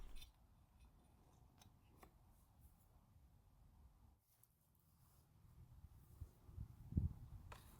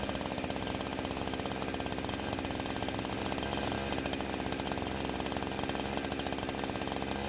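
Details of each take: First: Husqvarna chainsaw with a bad fuel line, before an aftermarket carb swap: long silence, then two short bursts of raspy two-stroke running that cut out after a second or two, firing only when fuel is poured into the carb throat. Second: Husqvarna chainsaw that wouldn't start, now fitted with an aftermarket carb, on 89-octane ethanol-free gas with synthetic two-stroke oil at 50:1; crisp, rapid, even buzz holding steady under the cut; runs very well and cuts okay.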